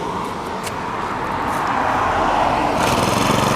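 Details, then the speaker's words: Honda GX35 brush-cutter engine after full rebuild with new carburetor, handle and strap hanger, test run before shipping: small four-stroke starts easily and runs quietly, buzzing evenly and revving smoothly with no misses or rattles; healthy. "ติดง่ายเสียงเงียบนะครับ"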